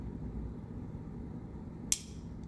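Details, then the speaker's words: Whirlpool fridge that quit cooling, old part reconnected: compressor hum lasting a few minutes ends in a sharp click as overload relay trips; capacitor or overload relay suspected bad. "there it goes so if you're hearing that guys that's going to be your indicator that either your capacitor i'm sorry or your capacitor or your overload relay or bad"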